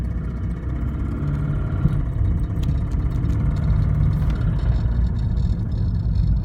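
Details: FRS petrol engine idling with a faint, regular knock over a low, steady hum.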